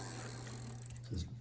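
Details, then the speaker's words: Diamondback step-through bike after rear lock ring tightened and smaller spoke protector fitted; quick even clicking as rear wheel coasts, no scraping or drag, no binding. "So, my lock ring tool, you can already hear those splines engaging."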